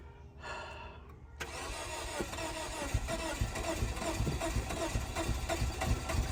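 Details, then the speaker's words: 2004 Scion xB sitting for two years, weak battery, fuel gauge on empty: starter cranks steadily with uneven compression thumps but never catches; owner suspects it needs fuel. "I think it needs some fuel."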